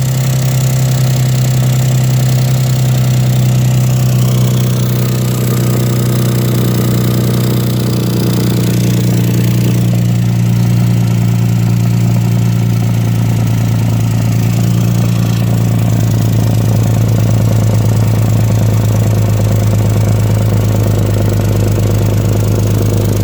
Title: exhaust leak 1